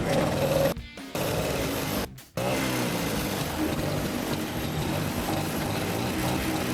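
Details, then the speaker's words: Vespa Exclusive Editor two-stroke scooter: after two brief dropouts, a steady, even putter with no rattles or bearing noise; engine runs smooth and fine. "Nah, dia ini mesinnya nggak ada terdengar suara berisik-berisik seperti suara klaher atau suara apa. Masih halus-halus saja."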